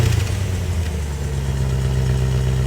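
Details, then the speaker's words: Land Rover Discovery V8 at idle before exhaust work: deep, loud, even burble with a strong low drone and little muffling; the centre muffler is largely missing and the exhaust is in poor condition. "This Is My Land Rover and it sounds bad I don't know I'm sure the Raptor coat Brigade think it sounds pretty"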